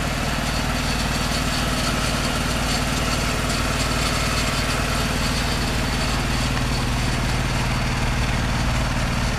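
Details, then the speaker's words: Mazda RX-7 FD Type RS rotary idling after a broken 15 A fuse was replaced and the air pump started working again: loud uneven idle with irregular pops and stumbles; still rough idling and backfiring, cause unconfirmed. "The motor's still doing its whole rough idle thing and backfiring, but at least we're somewhere now."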